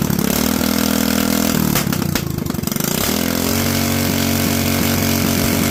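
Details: Predator 212 single-cylinder after going back to the 95 jet: steady even putter, dips briefly and picks back up without stumbling; jetting sounds right, normal running.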